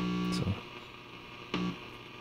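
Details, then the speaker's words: Largely original 1947 radio receiver powered up at reduced line voltage: a steady low mains hum with handling thumps as the volume control, which is isolated from the chassis, is touched; the touch introduces the hum. "it's nice and quiet when i touch this so obviously i'm introducing some noise into this and that introduces hum"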